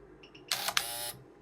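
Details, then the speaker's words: BMW exhaust flap actuator 18308686640 bench-driven by a PWM signal as the duty cycle is changed; short high-pitched half-second motor buzz, a pause, then a longer run, normal operation. "I'm going to change the duty cycle. So you can hear that noise."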